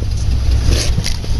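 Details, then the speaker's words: Nissan Pathfinder with a large fuel line leak and low fuel pressure, barely starts: loud uneven low rumble with irregular stumbles; rough running misfire, cause unconfirmed, main or return line suspected. "okay as you can hear it's not running very good"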